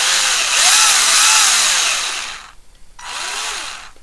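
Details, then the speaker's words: Tamiya TT01 E drift RC car, just fitted with two new diffs (front one-way) with Tamiya grease on the gear: light, even whirring spin-up coasting down smoothly without clicks or catches; diffs spin freely, healthy. "That's both new diffs fitted, and as you can hear, spins really nice, really free."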